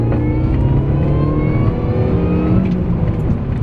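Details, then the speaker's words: 2002 Mini Cooper S R53 with reduction pulley and repaired supercharger, hard acceleration on the road: clear whine climbing with engine speed over a deep exhaust note, noticeably faster supercharger sound; healthy. "Other than that, what really stands out is how much faster you hear the supercharger now."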